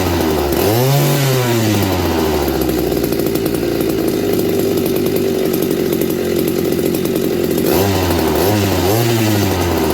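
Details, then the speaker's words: Rebuilt McCulloch MC49 two-stroke on a 090 carb, cutting after the ignition points were fixed (owner thinks they had not been sanded): revs up, bogs slightly into the cut, holds a steady high scream, then clears cleanly. Healthy running under load. "I mean it's she's running real good"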